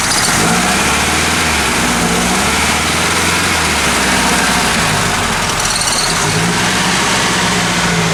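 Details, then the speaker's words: Ford Capri with carburetor, after raising idle speed and tightening idle mixture (choke previously over-choking, mixture rich): loud idle lumping and surging unevenly instead of holding a steady beat; rough idle, cause not confirmed. "this thing's salty at idle I'm saddling a little better I bumped up the idle speed and tightened up the idle mixture a little bit"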